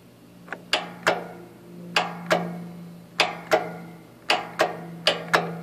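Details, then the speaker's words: MTD Yard Machines mower with a fairly new 12-volt battery: single sharp solenoid clicks about once a second over a hum, but no crank. No voltage reaches the starter; the owner suspects the solenoid or module and rusty connections. "getting a click nothing so it's like no power is going to the start at all"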